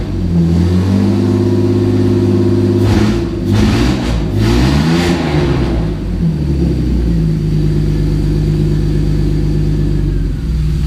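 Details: 1990 Mercedes-Benz 300E, long-sitting, running after fuel injector cleaning: deep, loud, open rumble blaring on each rev with no muffling; catalytic converter and all exhaust behind it were stolen.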